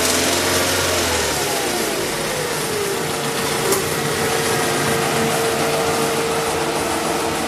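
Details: Mazda 6 engine running with a light, uneven knock under the exhaust note as revs settle toward idle; owner asks what the knock is and its cause, source undetermined.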